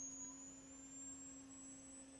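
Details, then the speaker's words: Tesla Model Y driving on the rear traction motor: thin steady high whine from the front induction motor, rotor held and spinning in magnetic fields to generate heat into the coolant for the heat pump system; normal, may be audible outside the car. "And you're going to hear this whining. And you may hear the whining on the outside of the car. But u customers may complain uh to you about that, but what's going on there is that it's scavenging heat. It's creating heat and transferring it into the coolant."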